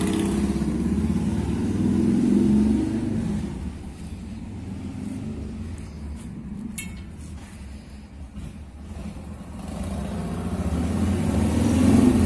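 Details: 1990 Harley-Davidson Fatboy Evo (yellow heads) test run after carburetor cleaning and refit, following a no-start caused by fuel not getting through the jet. The big twin pulls through the revs and settles back smoothly, with a steady lumpy beat and no misfire: running clean.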